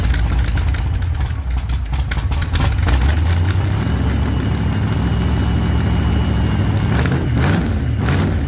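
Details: 1948 Chevy Fleetline small-block V8 (4-speed), started after sitting a while, after heavy throttle pumping: catches and settles into a lumpy, deep idle with throttle blips that rise and fall cleanly. Running normally.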